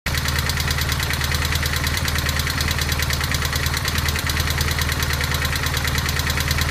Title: 1200gs clatter noise